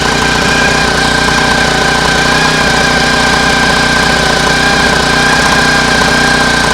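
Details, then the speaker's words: Homemade air-cooled outboard built from a lawn mower engine, at cruising throttle: steady single-cylinder drone with a faint high howl and occasional stumble; intermittent misfire, owner fears the howl is bearings. "I think it sounds like that's that's an an okay throttle for for much for cruising speed it sounds quite okay I don't know why it's it's it's it's like it's misfiring a little bit sometimes"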